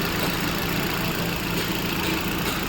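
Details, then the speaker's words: Hyundai i20 idling with the drive belt removed: steady, even idle with no squeal, chirp or rattle; water on the belt hadn't stopped the noise, which was traced to a faulty AC compressor clutch pulley; belt slightly torn. "Belt निकाल के मैंने car को start किया है। Car मेरी start है। पर अभी आवाज नहीं आ रहा है।"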